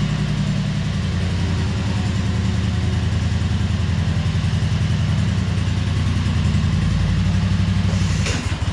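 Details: 2003 Wright Stander mower, 23 hp Kawasaki V-twin, with fuel pump rigged to the crankcase pulse output: lumpy, uneven beat that hunts rather than settling; poor running because choke and throttle cables were on the same linkage, working against each other.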